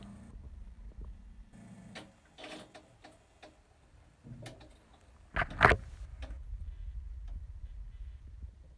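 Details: Hanix no-start: quiet, uneven ticking with a few louder clacks in a small space, and the engine never catches; a repetitive clicking no-start with the source unclear.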